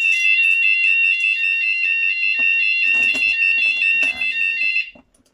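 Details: 2008 C-TEC Firesafe conventional fire alarm panel weekly test, Fulleon Squashni G3 sounders triggered by a CQR FP2 manual call point: loud high-pitched tone pulsing about 150 times a minute; sounders firing properly.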